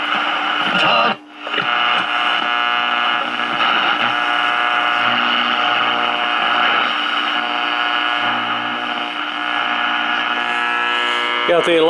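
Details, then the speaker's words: 1946 Val-Keen/Detrola model 572 six-tube radio with power transformer, chassis out, AM band: loud steady buzz and rough hum over the station — heavy interference, suspected from power poles, not the room lights; unconfirmed. "noise coming in it's really bad it's not the lights in here it's probably the power poles out acting up again"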